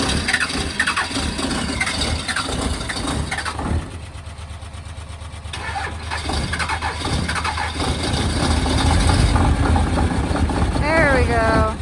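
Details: Cold-blooded 12V Cummins diesel on a winter morning in Montana, started after preheating with a heater; fuel additive in the tank. It cranks, stumbles and fights before catching, then settles into an uneven, rattling cold idle.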